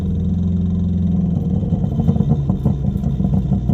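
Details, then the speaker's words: Big-turbo Ford Fusion at the drag strip: a loud turbo engine pulls hard, then breaks up into choppy stumbling bursts as it loses power under load; no oil is seen, and it turns out to be some sort of limiter rather than engine damage. "Doesn't sound good. Not seeing any oil. sound like it blew the motor, but it doesn't got anything unless it, I don't know, unless I hit an RPM guard or something."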